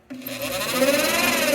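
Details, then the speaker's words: 2013 Cadillac ATS that overheated with code P0480: cooling fan spins up to a coarse, strained whirring that never smooths out; fan motor judged faulty and needing replacement. "that doesn't sound right to me all right um this guy's gonna need a fan i'm not even going any further"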